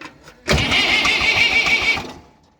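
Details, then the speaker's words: Diesel mower tractor won't start after mowing the pasture and hitting a boulder; about a second and a half of harsh cranking that never catches and dies away. Same happened a year ago; cause this time unconfirmed. "I-am dat să pornească, nu. Urât. Auziți-l cum face?"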